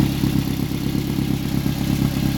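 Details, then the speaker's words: Turbo Mazda 3 after replacing the mass airflow sensor (fuel trim issues, suspected exhaust leak near turbo/manifold, power loss, loose ground found): fairly steady, even idle with low throb and light clatter; now running smoother. "does sound a lot veterans running more food"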